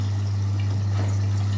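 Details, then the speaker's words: Electrolux EWS 1046 washing machine at the start of a wash cycle, filling through the prewash and detergent compartments: steady low electrical hum with faint trickling water, inlet valve filling normally. "Так, значит, вот так выглядит набирание воды."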